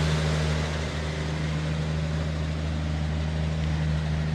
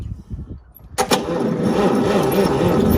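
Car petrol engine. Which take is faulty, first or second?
second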